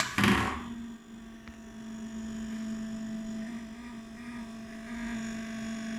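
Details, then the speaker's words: GRS AT making an abnormal background noise that is new and different from before, cause unknown: after a brief thump, a steady low hum with a fainter higher tone drones on unchanged. "The background noise. It's very strange. Never happened before."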